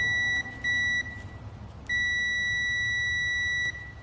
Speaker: you hear that beeping okay all meters work